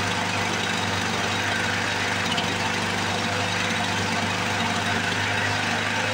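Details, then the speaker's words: 1978 Lawn Boy commercial two-stroke mower, revived after long storage with gelled fuel, started after priming: crisp, even, high-pitched buzz holding steady speed with no misses or surging. Normal two-stroke running. "Let's uh let's see what she's gonna do ignition's on I can hear it priming here we go there's nothing boy if that don't sound beastly"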